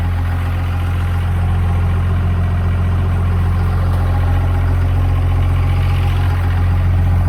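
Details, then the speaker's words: 5.9L 24-valve Cummins diesel in a one-ton project truck, after a no-start: water-contaminated fuel drained, broken crank sensor ground wire fixed, started on one old battery with a booster charger. Deep, steady rumble about four pulses a second, no stumble; normal idle. "Okay, so ground wire on the crank sensor the whole time. It's fixed up now, it's running."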